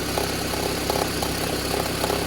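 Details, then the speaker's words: Toyota Harrier 5S-FE petrol engine at cold idle: fast irregular ticking crackle over steady idle, easing with warm-up and nearly gone when warm; every morning for 4 months, timing belt fine, cause unknown. "Не могу понять, что с мотором, почему он трещит."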